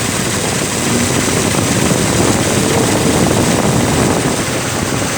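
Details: Ford Crown Victoria that overheated at idle because the cooling fans were not engaging. With the thermostat sensor disconnected as a quick fix, the fans come on: a loud, steady rush of air over the idle, no rubbing or ticking. Fans normal; root cause not yet found.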